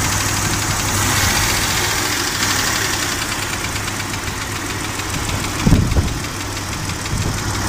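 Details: Gasoline engine at idle: heavy irregular knocking with a few strong thumps standing out near the end; a broken piston skirt slapping the cylinder bore.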